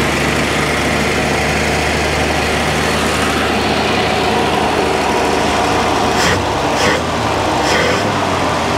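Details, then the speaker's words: 1962 Dodge D300 old six, sat about 34 years, now fed by a fuel pump wired to the battery: steady, smooth idle and rev, no misses or knocks; sounds healthy, before oil change and coolant. "all right all right man that sounds so good guys I'm super excited okay so that sounded good revved good it was good to go"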